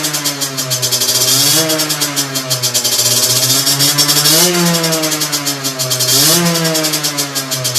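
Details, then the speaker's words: Two-stroke on a dyno bench with a 17.5 mm carburettor, fully set (main jet, air mixture screw, needle): crisp buzzy revs respond explosively to the slightest throttle opening, rise sharply and settle straight back to a steady idle, no stumble. Normal running. "tu vas te rendre compte que à la moindre sollicitation de poignet le moteur tout de suite il est explosif à aucun moment il nous met des à-coups un peu bizarre"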